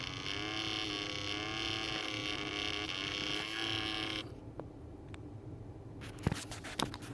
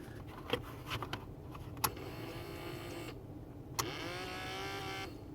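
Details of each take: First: 1998 Toyota Camry blend door/air diverter actuator motor just after repair, test with one screw fitted: low droning groan with wavering pitch for about four seconds then cutoff; actuator motor straining, cause unclear. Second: 1998 Toyota Camry blend door/air diverter actuator motor after repair, reinstalled with one screw, harness connected: small motor whirs in short bursts with clicks, pitch sliding as it drives the flap; repaired actuator moves.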